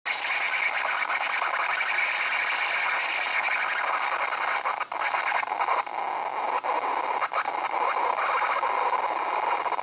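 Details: MacBook Pro right speaker, with speakers muted: harsh continuous hissing screech with a scratchy edge, steady throughout.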